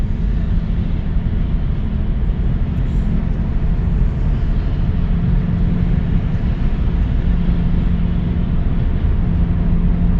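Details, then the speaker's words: 2006 Subaru Legacy 2.5 at highway 55-60 mph after an unseated axle was blamed for a rumble-strip noise: even low road rumble, no rhythmic drone; no abnormal noise. "So what we have is just normal car noise, you know, from the other cars that are whizzing by us. Uh we are doing well we're back at 55 but we're running between 55 and 60 and um we don't hear any abnormal noise."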